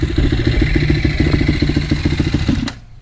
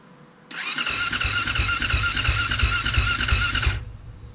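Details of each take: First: 2007 KTM 450 SX-F single-cylinder after a start-up problem fix, started on the fourth try, still cold: steady fast thumping with light clatter, then stalls from too much throttle; normal cold running. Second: 2007 KTM 450 SX-F with a start-up problem, choke on, fuel on, in neutral, battery low on charge: about three seconds of fast, even starter whir at roughly three beats a second, then it stops without firing; cranking without starting.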